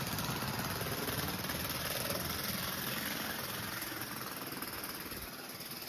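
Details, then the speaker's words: Budget Bachmann model train locomotive at full power, struggling to pull cars: fast, fairly regular clicking, about four per second, over motor buzz from cracked gears likely to split; no replacement parts available. "You can hear the clicking noise. You can definitely hear the cracked gears in there. It's only a matter of time before this actually split in two."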